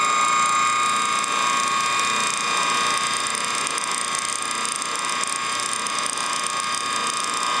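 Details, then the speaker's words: Antique ring-oiled Wagner 2 hp motor; fast rattling tick about three per second over steady high whine, runs well but one bearing is shot and its reservoir gets too hot to touch, new bearing ordered: worn motor bearing. "It runs well. But this bearing is shot."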